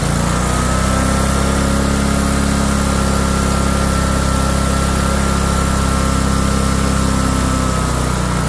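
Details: Used replacement engine just fitted to a John Deere LA145 mower, started on choke with a jury-rigged battery; catches and holds a steady, even run with no knocks or misses; normal running.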